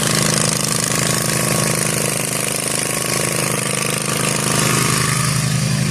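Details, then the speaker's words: Zero-turn lawn mower mowing overgrown grass after repair with new deck spindles and bearings: steady, even engine drone under load, no squeal, rumble or grinding. The blades and new spindle bearings are so quiet they seemed off, a healthy result. "These bearings on these new spindles are so quiet. Like I literally didn't even know if the blades kicked on at first because it was so quiet."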